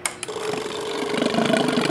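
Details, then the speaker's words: 2002 Yamaha R6 that sat 4+ years, carb cleaner sprayed in: starter spins it in quick even pulses that build slightly but never catch; owner says there's no fuel pressure so it shuts down. Cause suspected, not confirmed. "this initial pulse it's trying to find Pola but it can't because there's no pressure so it's just shutting down"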